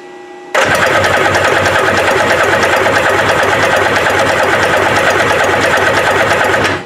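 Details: Kawasaki ZXI 1100 jet ski cranking steadily for six seconds without catching or firing, no spark; stator earlier found bad, resistance readings check out, pulse coil reads about 0.3 V AC while cranking.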